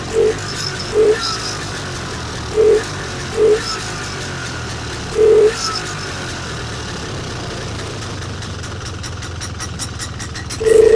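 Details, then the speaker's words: Vintage snowmobile two-stroke after replacing the stuck stock carburetor inlet needle and priming: a few sharp blips, then an even steady crackling idle with no misses. Normal running. "That is another runner. So that's 3 right here that are ready to go."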